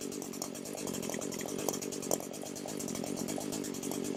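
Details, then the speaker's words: Echo SRM 225 two-stroke string trimmer that wouldn't start, during a no-tools crankcase/exhaust leak check: steady high-speed buzz with even beat, no RPM drop, sag or surge; normal running, no air leak found. "Okay, if you can hear me, the sound I'm looking for is any sort of appreciable decrease in the RPMs, and I have not heard that."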